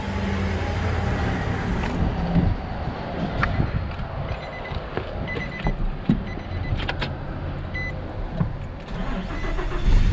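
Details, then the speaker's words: 2006 Nissan Frontier 4.0 V6 manual, towed in with no crank, no start, no module communication, traced to a blown main fuse at the positive battery terminal; now started on jump box and idling evenly with no misses, alternator charging 14.2 volts. "okay so now it's running and see if the alternator's charging and fourteen point two volts so the alternator's charging"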